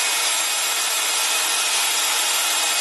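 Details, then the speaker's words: 20-year-old DeWalt electric impact wrench running free to break in new brushes, no sparks visible now after sparking before repair: steady high even motor hiss for three seconds, no catching or crackle: normal motor run. "there's no sparks visible from the inside of this and there was the other night not a good thing but we're going to run these brushes"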